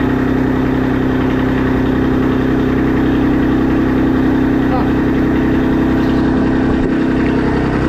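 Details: Kubota RTV1100 D1105 diesel engine, reinstalled and running after long cranking to prime injectors: steady even clatter holding one speed, no misses or knocks; normal running.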